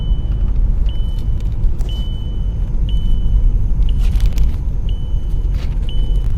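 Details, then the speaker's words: Volkswagen Passat diagnosed for an engine warning light, after the fuel system bled itself: quiet steady engine hum with a dash chime about once a second; it runs evenly and healthy, and the light went out. "Le ronflement que vous entendez là, si toutefois ça vous arrive d'entendre ça, eh bien c'est ici. C'est la pompe de préalimentation."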